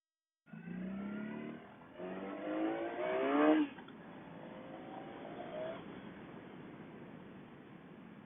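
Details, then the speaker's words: Motorcycle under throttle accelerating: engine revs briefly jump and climb while the bike barely pulls harder, a flare from a slipping clutch, present since before a new clutch lever was fitted after an accident. "and that little sound you hear there little rev up that's the clutch slipping on this thing"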